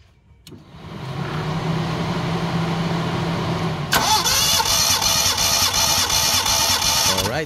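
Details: Mitsubishi Lancer GLi 4G15, after sitting, overheating and a general overhaul, still misfiring; compression test on cylinder 1 with all plugs out: steady, even cranking rhythm without stumble; reads 150 psi, healthy.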